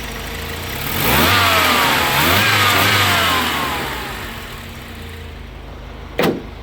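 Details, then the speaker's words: Volvo after a wiring repair (rewired connector, heat shrink added): engine blips up a couple of times, then drops back to a steady, even idle with no misses or knocks; idling well and healthy. "But everything else is fine. It's idling really good. Idling really good."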